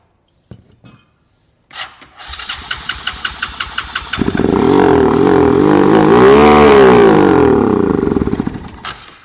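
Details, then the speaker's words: Free single-cylinder ATV, started with pull start: a few cranking pulses catch, then the engine climbs to a high, screaming steady rev and stays pinned; throttle stuck wide open. "The throttle stuck wide open. But did you hear that? That was the sound of this one running."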